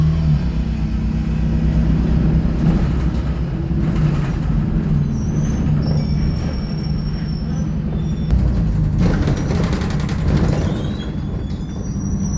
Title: Boarding an Optare Solo ExHCT OS27 & 1763, SLN 47999 YJ12GVZ on 309 with Loud Engine & Squeaky Noise